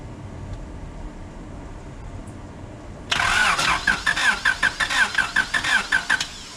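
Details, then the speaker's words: 1996 Honda Civic coupe unused for 8 years, on a jump box with the fuel pump relay clicking: the starter cranks in steady whirring pulses with no firing. The gas gauge reads empty and the fuel smells of varnish; cranks but won't start, no fuel. "What's it say on the gas gauge? Oh, that's... it says she's empty."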